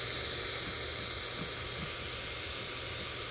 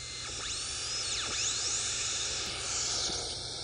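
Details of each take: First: Late-1940s/early-1950s Ford (Zenith) 6-volt AM tube car radio, tuned to 1 MHz (IF 262 kHz) to listen for the converter; only steady hiss, no tone. Converter oscillator not running; the set appears to have all the wrong tubes fitted. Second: Likely late-1940s/early-1950s Ford (Zenith) 6-volt AM tube car radio with a 7B8 pentagrid converter tube; a thin whistle sweeps up and down over steady hiss as the dial is tuned. Normal converter oscillator operation, while the audio output tube is shorting.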